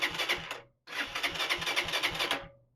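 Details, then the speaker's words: Lifan City X 125 motorbike, a shed find left about 15 years, cranked on the electric starter with a new battery: starter whirs and the engine chuffs at about four compression beats a second in two bursts, but never catches. "Replacing the battery yielded a nice headlight and a bike that sounds like she wants to start."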